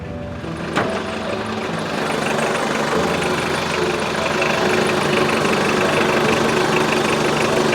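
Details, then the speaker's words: Mitsubishi Pajero, old off-road vehicle, petrol idle after washing, at the engine bay: faint repeating high chirp about three a second from a hardened, aged serpentine belt. "发现发动机皮带轮有异响了。"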